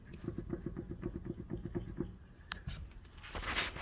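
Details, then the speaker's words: 2020 Kia Telluride V6 front-wheel drive, driver-side CV axle rocked by hand: light quick clicks, about nine in two seconds, then quiet; normal acceptable joint play, unlike the bad axle's noise. "but not like this that's bad and it's time for a CV axle"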